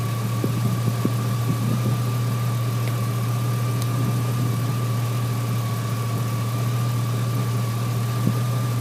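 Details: 2003 GMC Sierra SLE, 4.8-liter V8, at idle after fitting a used 105-amp junkyard alternator: even, steady idle with a low hum and a faint steady high whine, no knocks or misses; charging reads 13.2 V at the battery and 14.2 V at the alternator.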